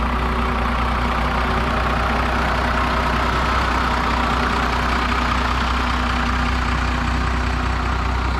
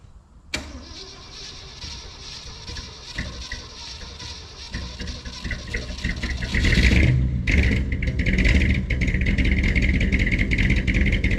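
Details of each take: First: 2016 Ford 6.7 Powerstroke diesel, sitting for months, jump-started from another truck: steady, even diesel clatter at idle without stumbling or misfiring. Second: 1967 rig, over 50 years old and sitting on old bad gas, started on full choke with a few pumps and a borrowed battery. It catches after cranking, then settles into an uneven, lumpy, loping idle. Fires right up but runs rough.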